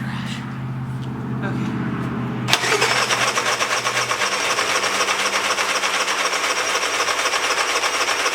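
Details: Long-unused engine (Honda 3000 generator / Polaris snowmobile project) on old fuel, full choke: catches after a few pulls, runs loud with an uneven buzzing beat about four a second; runs only on full choke, exhaust smells of bad gas; fix planned: drain and refill fresh fuel.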